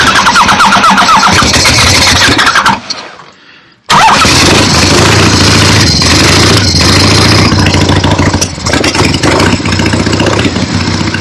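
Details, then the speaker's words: 1975 Harley-Davidson XLH Ironhead Sportster, just finished full rebuild, fired up loud through open pipes: brief pause, then an even, lumpy twin beat with no knocks or odd noises. Runs great. "But this is done, and it looks good, sounds good, runs great. Very happy with it."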